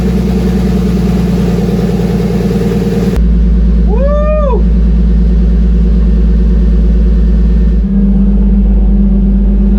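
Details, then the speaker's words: Turbo BMW E30 on E85 with new fueling table, warming up: steady even idle drone holding speed with no hunting or misfire; oil pressure good, AFRs slightly high. "So far, it's holding right where it should. We'll let it run for a minute. Oil pressure's good."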